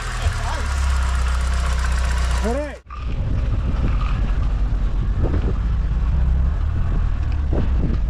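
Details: Corsa B GLS 1.4Si four-cylinder petrol just after a new coil pack fitted to fix a three-cylinder misfire; catches and settles into a steady even idle, no stumble, running cleanly on all cylinders.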